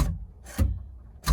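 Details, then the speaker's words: Holden VK Commodore (Brock tribute) during dash reinstallation: a few sharp, irregular clicks in a quiet car as the boot release solenoid fires when the glove box light is switched, because the glove box light and boot release wires were swapped. "with a little wire hope you hopefully you can hear that clicking that's the boot release"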